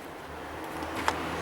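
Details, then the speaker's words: Engine idling after cylinder head job (overheating had melted pistons and lost compression) and hose replacement: quiet, even low hum with steady beat, no knocks or misses; runs smoothly. "e vamo dá sequência a tudo isso pessoal York funcionamento redondinho paradinho tá pronto"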